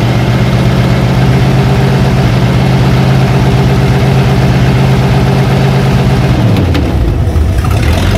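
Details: 1956 Oldsmobile 88 V8 revived after long storage, plugs done and carb bowls filled: settles into a steady, deep idle with an even low rumble, then the note drops and shifts near the end; normal idle.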